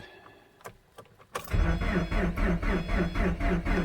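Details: 2010 Subaru Forester 2.5 with replaced low-mileage JDM engine, cold morning at −25°C after sitting overnight, new coil fitted, no codes: a few clicks then steady cranking about four beats a second, never catches; crank no-start fixed by new starter.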